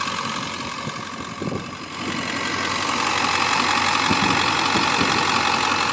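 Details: 2002 Ford F250 with 7.3 L Powerstroke diesel, four-speed automatic, Banks exhaust, factory idle unmodified: steady, even, unhurried diesel clatter at idle, no misses or odd knocks; healthy idle.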